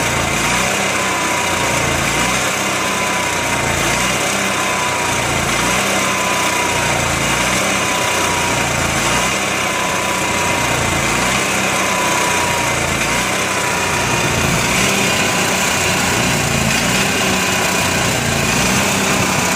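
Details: Onan MicroQuiet 4000 generator idling roughly, note rising and dipping every second or two, despite clean carb, new air filter, constant fuel pump flow and near-new spark plug.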